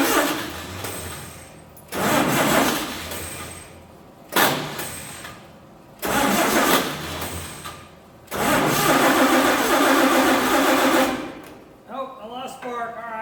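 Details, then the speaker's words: 1948 Chevy truck inline six, not run in 30 years, diesel in oil pan: repeated long cranking bursts dying away without steady firing; ignition points stopped opening and closing, readjusted before retrying; cranks but won't keep running. "I'll come back to you guys okay so my points stopped opening and closing so I readjusted them set them set them again let's start it back up"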